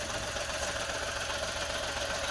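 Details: Engine running rough and uneven with a buzzy, hissy note, one cylinder dead; a brand-new aftermarket coil pack has failed, and the misfire is heard with that coil disconnected.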